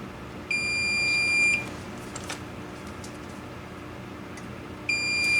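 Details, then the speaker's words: Multimeter across pins 3 and 4 of the voltage regulator on a K7000A 25-inch arcade monitor chassis that was involved in a fire: a solid high beep drops out, then beeps again; the regulator is shorted. "Ha! Voltage regulator is shorted as well. Hot damn."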